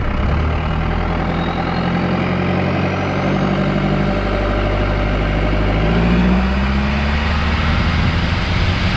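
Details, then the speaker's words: Cummins 4BT Tahoe with compound turbo, after manually cleaning coked injectors and a test drive: smooth, steady low diesel rumble with even firing and no misses or knocks; idling cleanly, no more haze or smoke. "well we are back home everything is looking good and driving good uh no more Haze no more smoke"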